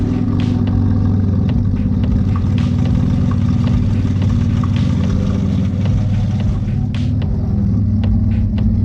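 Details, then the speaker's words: Twin-engine Mazda MX3 with Raspberry Pi dash, idle tuned down to 700 rpm: low rumbling idle that chops and stumbles unevenly; running lean down there, more fuel added to smooth it. "Now that's 700 RPM. I'm gonna add some more fuel because it's a little bit choppy down here. I'm just gonna add a little bit."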